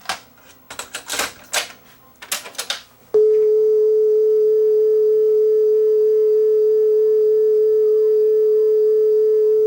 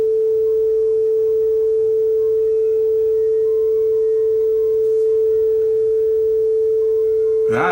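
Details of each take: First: Yamaha K520 cassette deck test tone wavers in pitch about once per capstan rotation, which is bad wow and flutter. The belt is riding back and forth on the pulley and is likely a too-thin eBay replacement; the flywheel is also suspected. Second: Yamaha K520 cassette deck test tone with speed being adjusted right on the money: pure, steady pitch with no wow or flutter.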